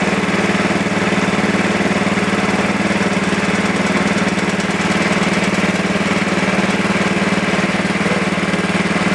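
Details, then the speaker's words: Super 12 hydro engine, just started cold. Steady mid-pitched chug, slightly uneven, about 140 pulses a minute: rough cold idle. "we go yeah she definitely don't like the idol at all but it was kind of my fault"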